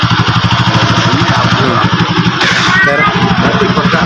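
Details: Euro 150 single-cylinder motorcycle that died after short runs despite new stator and spark plug, revved after repair once spark output tested strong: even firing beat, no misses or stumbles; runs clean.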